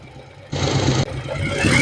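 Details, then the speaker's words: Yamaha Virago 1100 V-twin after valve adjustment and carburetor sync, color-tune plug in the front cylinder showing blue; even, loping idle with no misses or knocks; running right. "Well now it we have it placed in the front cylinder we are going to start it and see how it is"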